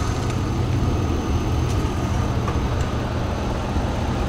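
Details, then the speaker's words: 5.3 engine on a non-4WD vehicle at a dealer auction, idling after a check showing no blow-by and recently changed, not cloudy oil: low, steady, even rumble with no knocks, ticks or misses; smooth, healthy idle. "huh i think puppy sounds like it's purring too god damn it there you go all right i think sounds like it's purring too so i'm surprised that this thing is as it is right now"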